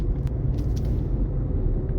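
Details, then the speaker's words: 2006 JDM Toyota Estima, 18 years old, driving over bumps and a sewer cover after replacing front anti-roll bar drop links: only steady low road rumble, no clunks or knocks; front suspension noise fixed. "And so far, if I drive over that sewer, nothing. Don't hear any funny noises anymore. That's what it was. Oh, it sounds like a new car again."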